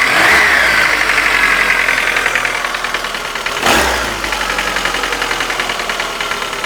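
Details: Light regular tapping, roughly three or four a second, over warm-idle engine hum; appeared after hydraulic lifter replacement, absent when cold, cause unclear.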